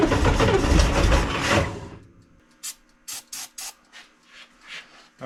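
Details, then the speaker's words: 1965 Chevrolet Corvair, two carburetors, stored over winter, first start attempt; harsh rough grinding during about two seconds of cranking, never fires, then scattered clicks, engine flooding, starter suspected worn or loose; starter grinding, no start. "sounds like the starter might be not doing so good well that was a that was good yeah it flooded a little bit huh"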